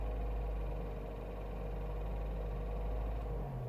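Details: 1.6 16v K4M Renault Mégane I phase 2, 2,000 km after oil and timing belt/water pump change; warm engine, mic in cabin (passenger side), faint uneven rattle only under throttle, not on overrun; found to be a loose oil pump chain, with a slightly binding oil pump.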